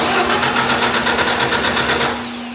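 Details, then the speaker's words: Large wood chipper engine on a starting charger after suspected weak-battery cranking: starter spins the engine briskly with even rapid chuffing for two seconds, then stops; it turns over normally with enough voltage. "Look at that. Turns over."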